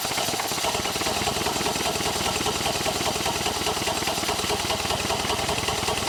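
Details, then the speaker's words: 1932 Ford Model B four-cylinder in a 1950s hot rod roadster, after reducing exhaust and intake leaks: uneven chugging about two and a half beats per second with a lumpy, stumbling rhythm; runs rough, likely tied to low compression on cylinder three. "you could tell that it uh changed the pitch of its tune when we did that but it's still not running quite right and obviously we know compression is significantly lower on three than it is on the others so maybe that's part of it"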